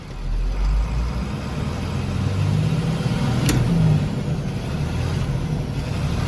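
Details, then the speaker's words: 466E truck with RL-3 grapple, pedal stomped: deep diesel drone swells then sags and labors as the pump loads it, loud pop-off valve; engine bogging under load, then fluid pouring out as something broke. "it sounds like it's about to die right now that pop off valve is very ferocious"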